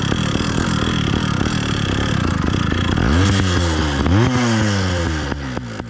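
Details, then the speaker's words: New Phantom 85 two-stroke motorized bike during break-in on 32:1 full synthetic: rough buzz with loose metallic rattle through rev changes; owner first suspected rich mixture or timing, found an engine mount rattle. "for those of you with good ears you're correct that's a rough sounding rattle and this was driving me crazy for the first two days"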